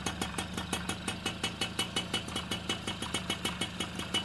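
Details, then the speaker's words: Super XL moped after engine rebuild with new crank, clutch kit and bearings, recorded near the engine: light, even ticking idle about three beats a second, earlier noise gone, confirming the crank was the fault. "தெரியுதுங்களா first வந்த அந்த sound இப்ப எதுவுமே இல்ல அப்போ crank தான் கம்ப்ளைன்ட்ன்றத நம்ம confirm பண்ணிட்டோம்"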